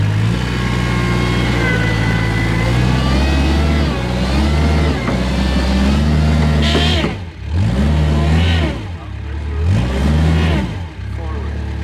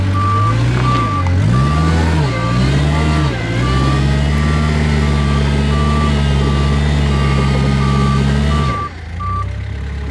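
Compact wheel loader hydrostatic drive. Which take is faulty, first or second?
first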